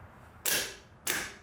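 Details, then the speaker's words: Bench test of the old heavy GM starter from a 1990 Chevy Camaro 350 small block (replaced because it cranks poorly when hot): two sharp metallic clacks as the solenoid throws the pinion gear out to engage the flywheel. Normal engagement, starter good. "usually what happens is that gear is going to fly out engage the the flywheel on the engine and then it's just going to crank over"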